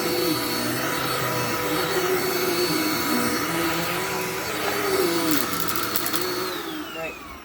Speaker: This vacuum hates this rug. Why is that? It's a very thick shag tile rug.